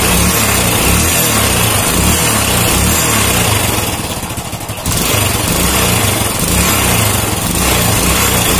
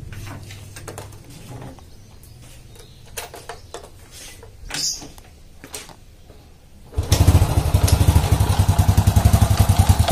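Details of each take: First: Old Honda Supra motorcycle after repairing the clutch outer that was loose because its rivets didn't fit the holes: idles evenly, revs up smoothly and drops back with no rattle or clatter; normal revving, fixed. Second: Old Honda Supra motorcycle, complaint of clattering from the clutch housing on slight throttle: engine fires then a loose clattery knock on each blip, like a loose bolt; caused by clutch outer loose on its rivets.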